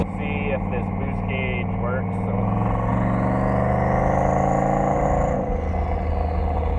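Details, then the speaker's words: 2000 Chevy Silverado, LM7 5.3L V8 with VS Racing 7875 turbo, at operating temperature, driving under boost; turbo whistle climbs then the note briefly falters and dips, a stumble under load; still needs tuning, owner suspects the PCV system. "Still got a little tuning to do. You can hear that stumble there, but I think that has to do with my PCV system."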